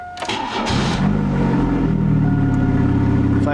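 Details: 1996 Chevrolet Cavalier cold start at about 59-60°F after sitting over a week: short crank, catches almost at once, even steady idle with no misfire or knock; normal cold start, left running to charge battery; power steering fluid sounds low afterward.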